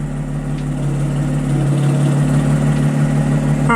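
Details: 2010 Audi S4 after new coils, spark plugs and valve cover gaskets fixed a misfire, cold start barely warming up: steady low even idle hum with no stumbling or skipping; earlier noise gone, check engine light stays off.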